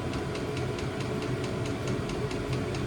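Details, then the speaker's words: New diesel heater in VW T25 Westfalia warming up on setting H3; steady low combustion roar with regular light tick about four a second, pumping out heat, sounds healthy. "So that sounds correct to me. I mean that really is pumping out."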